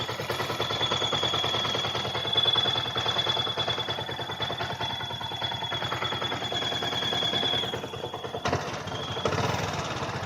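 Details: Yamaha R15 motorcycle idling hot, above 90°C, with a steady high whistle over the engine: worn water pump bearing under coolant load; fix is replacing the bearing and pump seal.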